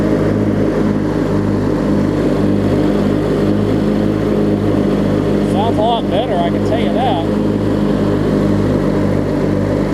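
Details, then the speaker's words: Craftsman LT1000 riding mower, opposed-twin engine (previously swapped), deck engaged and strapped to watch the belt: steady, even drone with no knocks or belt squeal. It sounds healthy; the owner thinks the belt may be wearing excessively. "I've got this strap on it that way I can run it with the blades on and just kind of look at it while it's running to see"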